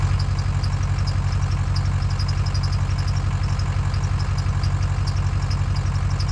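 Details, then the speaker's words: Dodge Caravan engine running on water instead of oil after an ether-assisted restart: a deep, uneven drone with a light tick about three times a second, close to stalling. It dies whenever the throttle is eased, needed the key held to start, and ran about 20 seconds. "anytime I would try to let off the the throttle it would just want to die and to get it to fire up I had to hold the key basically that whole time"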